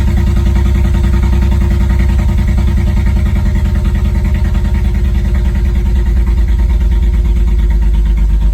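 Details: BMW Z4 E89 35i cold start: the idle is lumpy with an uneven, stumbling exhaust beat of roughly three pulses a second, and the car rocks. A warning light goes off, then the engine is revved. Cold-start misfire.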